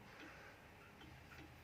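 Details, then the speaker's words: 1936 Junghans W64 pendulum wall clock, original and never renovated, hanging crooked: uneven tick-tock with alternate beats unequally spaced; clock out of beat. "atau masih miring tuh dia kolam miring bunyinya tuh tek tek tek tek tek"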